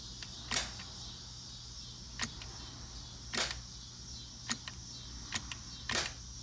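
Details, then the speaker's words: Budget bump box added to TH400 trans brake in turbo IS300, after programming: sharp clicks at irregular taps about a second apart, relay clicks but solenoid doesn't engage every time; owner thinks the pulse interval needs increasing. "it doesn't seem to work on the solenoid every time i can hear the relay click i'm probably gonna have to increase that interval"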